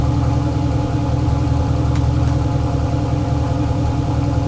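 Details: Turbo LS Chevelle with Holley Terminator X on first start, fuel pressure 75 psi: fast, steady idle with an even low rumble, above target with the idle air control at 0%; owner thinks the throttle blade is open too much.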